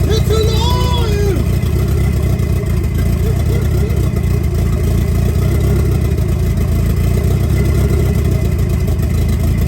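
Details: 1990 Mitsubishi Eclipse GSX, first start after intake manifold reinstall and cranking with plugs out for oil pressure; deep steady rumble that picks up cleanly when revved, no knocks or misses; engine runs healthy.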